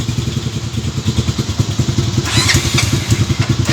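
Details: Motorcycle engine rebuilt by the owner with a strange engine noise: a rough, clattering idle at about three beats a second that gets busier when blipped; abnormal mechanical noise, cause unclear.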